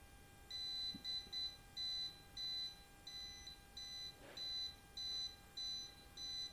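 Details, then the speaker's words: Non-contact voltage tester on a water pump supply cable, checking a pump that will not run: high-pitched beeps repeating under twice a second as it moves along the cable, showing the wire is still live at this point. "sampai di sini kita masih mendapatkan arus ya"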